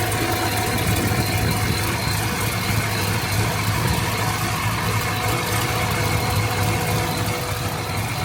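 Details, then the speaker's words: 2006 Corvette C6 Z06, fully rebuilt LS7 V8 with power upgrades and new headers, after a previous shop damaged the engine: deep steady burble with even lumpy pulse, no ticks or knocks; normal idle. "Alright guys, this is the new fully rebuilt LS7. She looks gorgeous. And we did do some power upgrades as well."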